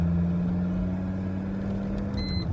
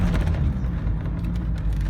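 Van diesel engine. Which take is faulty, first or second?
first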